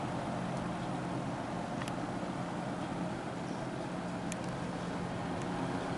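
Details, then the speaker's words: Wesston all-plastic box fan, old and dirty, on medium speed: steady low hum with a faint tone as the fan turns lazily below full speed, the motor struggling against old, stiff bearing grease. "Pretty slow. You can hear the motor trying to wear it up to life."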